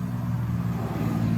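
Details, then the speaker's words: 2017 Ford F-250 6.7L diesel, key on accessory power after fuel filter replacement: steady low electric hum of the lift pump, no surging or rattle; normal fuel pump priming. "when you turn the key on you can hear the flu pump hear it down here"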